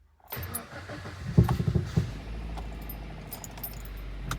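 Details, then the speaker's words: Kia Ceed 1.6 G4FC just after full engine rebuild with cylinder sleeving, previously knocking and dieseling: key rattle, short crank and catch, oil pressure comes up, low steady quiet idle without knocking or ticking; normal start. "Так, давление пошло. Работает ровненько. Работает тихо."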